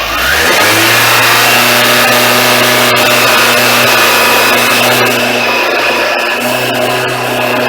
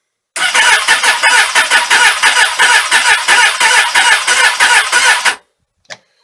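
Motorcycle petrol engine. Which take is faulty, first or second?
second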